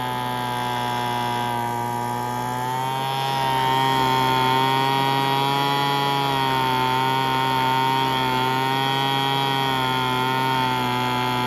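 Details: Curb-found Weed Eater BV1650 two-stroke blower vac on fresh 40:1 fuel, first run after priming: flat-out steady high buzz with slight wavering, running rough; owner thinks it must burn off spilled oil and runs it at full throttle.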